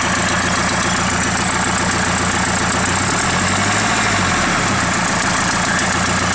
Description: SR20DET with something that sounds like an exhaust leak.